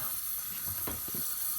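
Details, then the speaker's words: Roughly 20-year-old toilet fill valve hissing steadily as the tank refills; owner suspects its worn rubber seal, and it is replaced with a new fill valve. "today we're gonna try to fix this noisy toilet I know if you can hear it let me take this thing off just to show you here it's coming from here now this is the fill valve okay"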